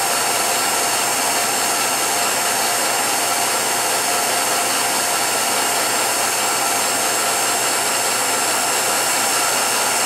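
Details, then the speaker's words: 1949-ish Revere P-90 8mm silent projector under restoration: steady hissing whir with a dry mechanical rattle underneath; drive dragging on old grease and a seized lower chain tensioner; drive unit to be disassembled, washed out and re-lubricated. "I'm going to disassemble the drive unit completely. I'm going to wash out all the old grease. I'm going to re-lubricate everything properly and get her going like she did 60 years ago."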